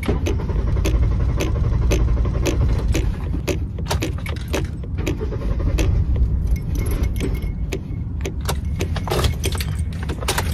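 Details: Car that won't start, broken down on the roadside; owner also reports failing transmission and exhaust manifold needing replacement. Long steady starter churn with uneven low pulses, cranking on and on but never firing.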